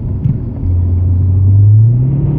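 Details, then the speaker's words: Subaru Legacy GT manual with a burned clutch, driven under load: deep engine drone climbs steadily in pitch while speed doesn't follow, revs running away. Clutch slipping. "yeah yeah yeah yeah that's a bad clutch that is when you know your clutch is bad ladies and gentlemen when your RPM shoot way up holy [ __ ] we just almost died but uh yeah when your RPM shoot way up like that and your speed goes nowhere that is your clutch slipping just like that"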